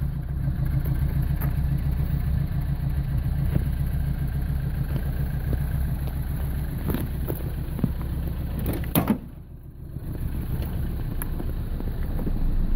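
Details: 1985 Toyota Starlet 1.0 L 1E engine, all original parts: uneven idle with irregular stumbles and pops breaking the rhythm, then a brief rev; engine misfire, cause unknown.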